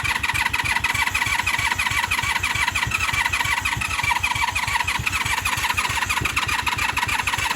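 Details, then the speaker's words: 1996 Honda Magna 750 VF750CD after spark plugs and coolant work, battery charged, cranked with choke on: even starter churn at about three pulses a second with the odd weak catch, never runs; cranks but won't start. "Trying, but not firing. She's trying. You can hear it."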